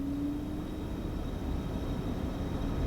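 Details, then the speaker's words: Steady, even rush of air from the blower at medium speed, no ticking, squeal or grinding, on a C4 Chevrolet Corvette (1992 and later) after replacing the blower motor module; blower runs smoothly. "turn it up to 10 awesome shut it off nice and quiet just the way we like it"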